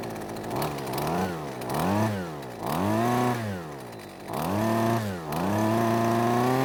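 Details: Husqvarna string trimmer two-stroke with newly fitted ignition coil, shaft and handle off, no load: revs rise and fall about five times, released from a little over 50% throttle, dropping cleanly back to idle without stalling as it used to.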